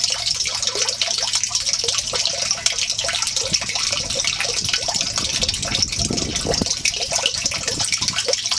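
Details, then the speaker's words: Off-grid aquaponics gravel grow bed (200 gallons of water, 600 pounds of gravel, bed possibly sunk and unlevel) draining through bell siphon: starts slow, then steady gushing with splashy gurgles as siphon breaks; normal, healthy drain cycle. "It's starting to run out a little bit. Not really shooting that yet. It always starts slow. Yeah, it always starts slow. And then when the siphon breaks, you hear it gurgling."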